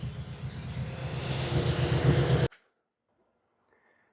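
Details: Mazdaspeed 6 engine first started after sitting nine years, freshly reinstalled: low, steady rumble held evenly for a couple of seconds before cutting off; runs reasonably well.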